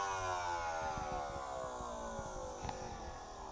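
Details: Desktop PC emits an abnormally loud buzzing hum that slowly falls in pitch, apparently from the CPU area. It began a month after a power supply replacement 2–3 months ago. Stopping the GPU, case, PSU and CPU fans changes nothing. The PC freezes while loading.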